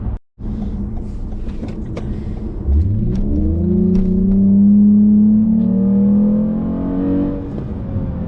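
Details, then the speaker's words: 8th-gen Toyota Camry XSE with aftermarket exhaust, D3 tune removed, on cruise control at 50 mph: deep steady boom settles in and holds at cruise; exhaust resonance drone. "50 miles an hour, and there is drone. Interesting."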